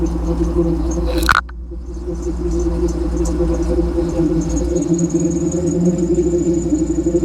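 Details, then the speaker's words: 1992 Jeep Wrangler YJ with a 5.3L LS swap and rebuilt AX15 transmission, on Novak mounts. A deep, even V8 exhaust rumble swells with throttle blips and settles cleanly, quiet inside. A belt tensioner squeak was noted separately. Normal revving exhaust note. "of this exhaust here. It really sounds good. Okay, I want to Yeah. And it's nice and quiet up here, too. You can barely hear it."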